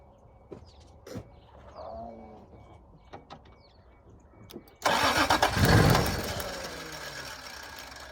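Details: 1986 Toyota Supra, second cranking round after it briefly fired on primed fuel: starter cranks in short bursts, catches briefly and fades; sounds like it wants to run; owner suspects no gas, fuel pump not heard running.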